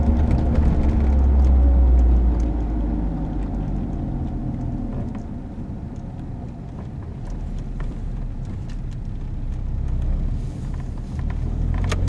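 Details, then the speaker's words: 22-year-old vehicle with 150,000 km, driving: a low droning hum that swells and fades in proportion to road speed; worn wheel bearing. "typical noise can be heard for both symptoms this typical noise rise proportionally to the speed of the vehicle rising while it's taking speed and blower as it's flowing down"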